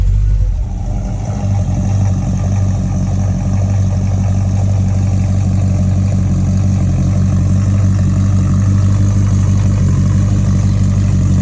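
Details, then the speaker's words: 70s Mercury Cougar (owner may have said '78) with a 302-block small-block V8, possibly a 347, brought in for noisy lifters and backfires. Steady, even low idle rumble before the test drive, no lifter ticking, 50–55 psi oil pressure: normal idle. "so it's sitting idling and pressure is at 50 55 or so so so far that's good"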